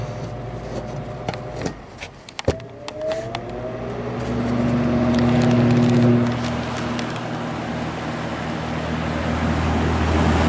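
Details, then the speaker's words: Vintage Brentwood box fan; switch clicks, then a low hum climbing slowly to a sluggish speed, struggling to start turning on dry bearings and running below speed. "I thought it would stop rather quick just by how how it didn't want to even start turning there at the start okay you can really hear the startup zone from this side"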